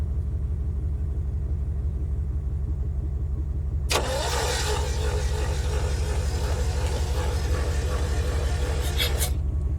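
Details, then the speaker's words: 1981 Chevrolet Chevette: steady, uneven, lazy starter churn about three beats a second, no catch; only one cylinder has compression, the others don't. "I I knew it didn't have compression. Yeah, it's only got one cylinder has compression. The others, well, don't, unfortunately."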